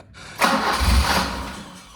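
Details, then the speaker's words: 1985 BMW E30 318i manual with starting problem: starter cranks, engine catches about a second then dies; likely running on residual line pressure, not optimal fuel pressure; owner doubts cold-start injector or idle control valve. "it also will not keep running if there's no fuel pressure well not no fuel pressure but not optimal fuel pressure"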